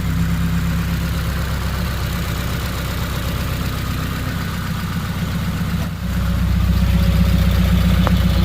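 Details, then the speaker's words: Subaru WRX 2.0 boxer after replacing all valve shims, idling while warming to temperature, RPM settling lower. Steady even idle with smooth low hum: normal idle. "we're just gonna keep this thing on the right temperature to let it idle for a bit you can see it's going down the RPM glitter idle"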